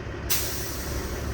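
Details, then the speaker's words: Kenworth T600 semi diesel with newly installed manual engine fan switch: short air hiss over the diesel rumble, then the fan clutch pulls in right away; normal engagement. "And you can really feel it engage right away and hear it,"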